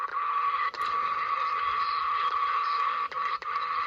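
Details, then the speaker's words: Swiss 1967 Fi-Cord 300-series pocket reel-to-reel dictation recorder on AA batteries, playing a test-recorded side: steady mid-pitched whine with brief dropouts, drive motor noise recorded onto the tape. "all right this is the side that i recorded a bunch of tests on and you can hear the motor running in there and that's one of the things that i wanted to talk about"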